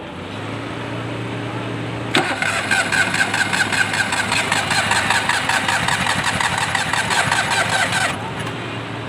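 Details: 660 cc engine cranks and catches, then runs rough about six seconds with uneven stumbling beat; one cylinder misfiring.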